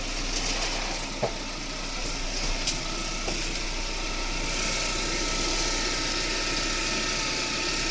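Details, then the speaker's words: Russian car at steady idle with a thin, constant high whistle, plus a rattle from underneath; owner suspects timing belt or alternator belt, possibly new tensioners bedding in, unconfirmed. "свисти я не знаю что свистит но мне кажется свистит либо ГРМ либо ременьгенератор"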